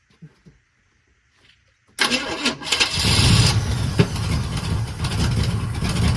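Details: 1980 Chevy K30 small-block 350, after new relocated starter solenoid, manual choke worked by hand, cold: brief cranking, catches at two seconds, settles into steady cold idle with small rev swell from choke; normal start.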